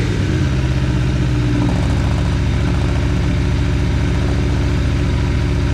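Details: Aprilia Tuono V4 revved after valve clearance service and fresh oil: loud bark climbing quickly and holding a high even note, no clatter or ticking; revs freely, no funny noises.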